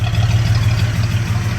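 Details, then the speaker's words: 1979 Ford F250, 4.9L (300) inline-six, Offenhauser C-series intake, 450 cfm Quick Fuel carb, warmed up idling ~700-750 rpm: deep steady idle with faint puffing pulse from an exhaust leak that started this year. "sure you guys can hear my exhaust leak that just started this year I'm gonna get that fixed as soon as we get all the lock down"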